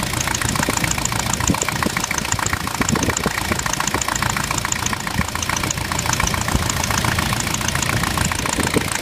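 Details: Jeep with VM Motori 2.5 TD diesel at idle: steady tapping knock about three to four a second over the running; engine knock of unknown origin.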